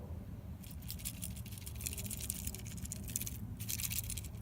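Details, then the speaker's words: Old Mercedes headlight switch removed, turned by hand: dry loose rattling and scattered clicks as the crumbled internal plastic moves; switch broken, needs replacement. "the plastic inside here that turns the switch usually crumples inside and this one kind of tricky it's kind of sticky a little bit but listen"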